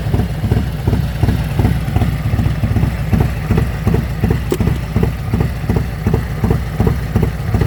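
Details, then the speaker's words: Harley M8 V-twin with S&S 475 cam installed, idling and recorded around the engine by phone: steady loping idle with no ticking over the exhaust pulse; valvetrain quieter than stock, normal idle. "my valvetrain is actually very quiet I don't have any ticking noises even more quiet than it is from the factory"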